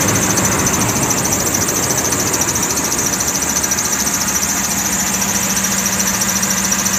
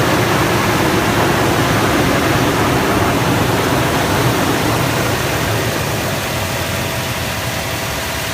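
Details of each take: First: 2006 Toyota Tundra at idle: shrill, steady high-pitched serpentine belt squeal over the engine, before being fixed. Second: 2006 Toyota Tundra after belt squeal repair; steady, even idle with smooth hum and no squeal or chirp, engine runs quietly.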